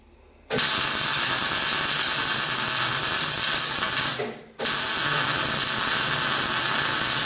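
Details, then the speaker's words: MIG welding on a Classic Mini shell roll-over jig with a good welder: after spatter from the unclean paint burns off, a steady even frying crackle without popping shows the paint has gone and the weld is clean. "And you can hear now the paint's gone. So you can tell when you've got a problem with it."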